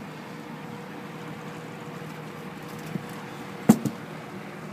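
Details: Rex Air Controls window fan running smoothly on low, a low even hum. It has a new belt-driven 1/4 hp 2-speed Emerson motor that replaced a Westinghouse with shot sleeve bearings, and its spherical bearings are shimmed with rubber-gasket strips. Normal running.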